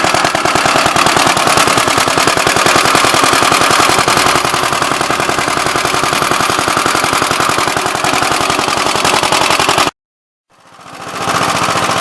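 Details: "Big Blue" 53 L single-cylinder engine after a plate patch on the cylinder: sharp, rapid, even barking with no misses, running smoothly and strongly until shut off. The oil pump leaks.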